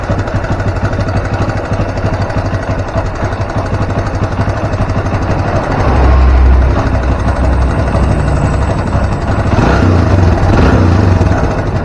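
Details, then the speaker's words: Barako 175 single-cylinder motorcycle that is very hard to start, idling: a loose, uneven rattle over the beat from a noisy timing chain because the tensioner doesn't push properly. The tensioner is to be reset after setting the timing marks. "so isa sa palagi ang nagiging problema ni baraco ay yung pag-iingay ng kanyang timing chain dahil hindi tumutulak ng ayos ang kanyang tensioner"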